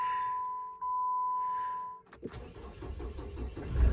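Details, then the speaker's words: Jeep Wrangler JK, unstarted for a couple of weeks: a warning beep, a brief crank, then it catches at once and settles into an even idle; an engine warning light is on, and nothing happens when put in drive. "there we go so um as you can see she runs no problem"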